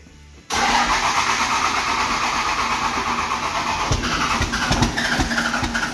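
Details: 12-valve Cummins dually, mechanical fuel pump, fuel pressure at zero: long steady cranking with no catch; no start from lost fuel pressure.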